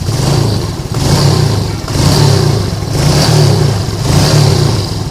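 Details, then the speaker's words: Lagenda 115 fuel-injected motorcycle that used to sputter and die when hot, after two faulty parts were replaced and the fuel pump checked normal. Clean throttle blips about once a second with smooth rise and fall and no misfire. Normal running, problem fixed. "Oke geng ni motor dah settle e dari segi semput dari segi panas dia mati Tu Semua dah hilang complete dah hilang ya"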